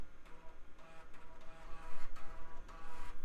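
Light, even ticking and a soft spinning whir as the drive seeks and reads steadily; nothing out of place, this drive is reading fine.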